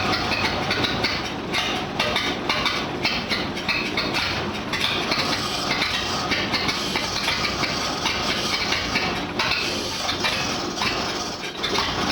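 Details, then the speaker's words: 1952 Dodge M37 3/4-ton 4x4, muffler removed, won't go beyond idle: loud, uneven, stumbling misfire. Three rebuilt carburetors fitted and no vacuum leaks found; spark weakens each revolution, owner suspects coil, condenser or points. "It won't go beyond an idle, and it just really, that's what it sounds like without a muffler in it. But it's still not running right."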